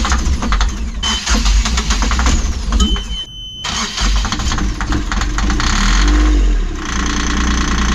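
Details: Yanmar diesel in a sailing catamaran, after injector cleaning and new O-rings: repeated cranking, then catches and runs unevenly with lumpy stumbling beats; hard starting, cause unconfirmed.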